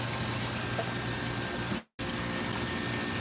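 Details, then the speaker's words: Hoshizaki ice machine that would not complete an ice-making cycle, after the float and tubing were cleaned: constant low pump hum under steady splashing water, smooth with no surging; the water pump is running normally. "but here we go we're running and we should have full ice now"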